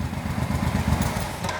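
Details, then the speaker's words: Suzuki Boulevard 1500 V-twin after battery replacement (previously wouldn't run): deep steady low thumping idle, even beat, no knocks or rattles; runs smoothly. "Essa foi só a bateria, pessoal. Trocamos só a bateria e zero."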